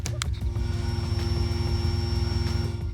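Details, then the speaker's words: 2003 Chevrolet Monte Carlo just after fuel pump and level sender replacement, owner noting a known vacuum leak: steady low rumble with evenly spaced firing pulses and a faint hum, idling smoothly with no leaks. "All right, let's see if I can keep her alive with the vacuum leak I have. I know I have. Beautiful. Double check. No leaks. You can hear it going."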